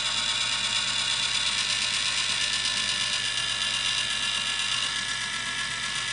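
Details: 1986 RainSoft Q2 water softener: even whirring hiss with water rushing steadily and no grinding or stalling; the valve motor is cycling normally during the motor and water valve repair.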